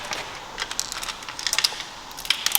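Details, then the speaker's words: Subaru BRZ engine, pulled after the OEM pulley came loose, being turned slowly by hand. Loose, irregular metallic tinkles and clicks sound like broken pieces moving inside the cylinders; the clip's finding is broken valve lifters. "you're gonna have to listen real close for this but you can hear something move around inside right like it sounds like something's inside the cylinders moving around"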